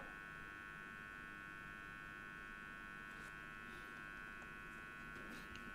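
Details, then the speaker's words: DeLonghi PrimaDonna Elite espresso machine that makes no coffee and passes no water: a steady, quiet fixed-pitch electrical buzz from an energized solenoid valve coil. "How to locate it without a stethoscope? Which coil is buzzing in your ear?"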